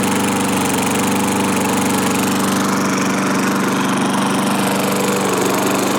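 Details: 1986 Murray single-cylinder lawnmower after restoration with hoard parts and fresh oil, started on full choke (no real throttle); holds a steady, even buzz with no misses, surging or knocks, running healthy. Owner is watching a possible gas-tank leak.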